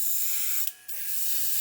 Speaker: I'm having big trouble with this clogging up. I just want to persevere.